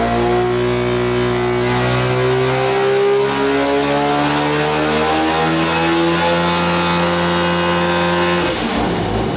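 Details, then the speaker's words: Mazda FD RX7 13B-REW two-rotor on methanol, warm, first trans-brake pull on 8.5 psi wastegate spring pressure: steady drone creeping up to about 5,300 rpm without reaching the 5,500 rpm two-step limiter; too little boost load. "That meant that there wasn't enough load to bring it up higher on the converter, so we only got to about 5,300 RPM. I've got the two-step limiter on about 5,500 RPM just to make sure all that's working right."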